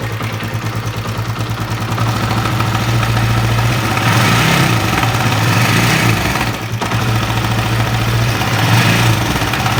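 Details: Honda CB150R motorcycle idling; rough, uneven metallic rattle over the beat, louder as revs lift slightly, which the mechanic places at the upper left of the engine; engine rattle at idle, cause not yet confirmed.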